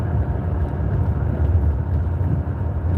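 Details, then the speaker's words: Vehicle cruising: steady low droning hum under the road rumble, attributed to a worn wheel bearing. "I would just be listening to bad boon. You can hear that wheel bearing."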